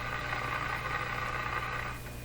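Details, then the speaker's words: Rogers Majestic 4511 tube radio, otherwise working, heard with the ear close and the chassis out of the cabinet: a steady low mains hum with a faint buzzy edge; a tube is suspected, but the cause remains elusive. "me stick my head there she's just a humming away well again the hum could be due to a tube situation here"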